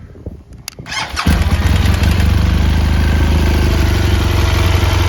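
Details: 2017 BMW R1200GS Rallye boxer, 29,000 km, dealer-serviced, totally cold start: settles into idle with a fast, light ticking from both cylinders over a low thrum; owner unsure whether compressor or rocker arms.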